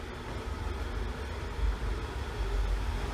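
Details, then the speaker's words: Wood-burning reclaimer stove turned down, giving a deep, steady low rumble with a soft fluttering pulse and nothing sharp on top; stove rumbling while burning. "I don't know if you can hear that Rumble pretty cool"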